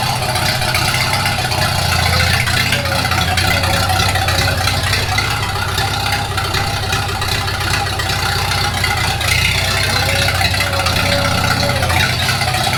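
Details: 1942 Farmall H tractor after transmission repair (scraping/screeching, hard shift from reverse): steady, even chug at constant idle with no misses or knocks; runs healthy with carburetor not yet adjusted.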